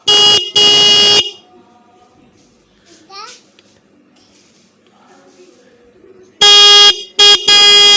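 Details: Bike/car horn after readjusting adjuster screw: clean, steady blasts, two short then a longer set, firm even pitch, no rattle; properly adjusted.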